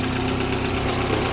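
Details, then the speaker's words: 1990 VW Golf Mk2 rough idle: low, uneven and pulsating with heavy vibration. Unplugging a switch, possibly a temperature sensor, seemed to improve it; cause suspected, not confirmed. "all right so i'm pretty sure this rough idol is i think it sounds like a trash can it's so bad pretty sure it's this it's still pulsating a little bit"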